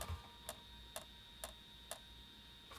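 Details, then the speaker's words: PS1 console with a disc inserted: sharp clicks about twice a second over a faint electronic whine while the disc does not spin and the console boots to the disc menu; the fault is in the disc drive, with a broken connection or weak laser. "same thing i can hear it clicking but i can't see the disc or i can't feel the disc so it's something to do with the actual disk drive itself"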